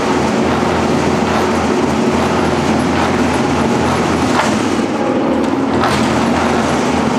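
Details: Engine on a home-built run stand, fire-up after fitting a new old-stock fuse: steady, even drone with a constant low hum, no stumbling or cutting out; runs smoothly.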